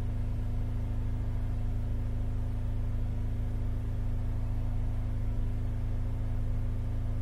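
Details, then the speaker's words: Holden Captiva Chevy V6 held at fast idle during a power balance test, throbbing deep and lumpy: cylinders 1, 3, 5 respond, 2, 4, 6 dead, one bank lost; came in as crank-but-no-start. "so one three and five noticeable differences two four and six nothing so we've lost two four and six that's proved by this Power Balance check that we've just done"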